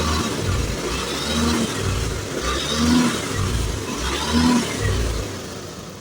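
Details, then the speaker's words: Honda Beat FI scooter with ACG starter that stuttered when pulling away, after fitting a new TPS: engine rises cleanly as the throttle opens slowly, even and steady with no hesitation; smooth, more responsive throttle response after repair. "Dan sekarang saya tarik gas pelan-pelan juga tuh. Sini saya tarik gas pelan ya. Tuh. [Musik] Oke. Dan lebih responsif juga ya."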